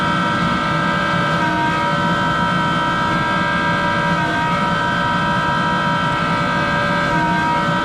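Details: Monarch 10EE precision lathe, extremely worn, original motor-generator drive with exciter, belt-driven, run up to full speed: steady loud whine with many layered tones and rough hum underneath; worn motor-generator bearings.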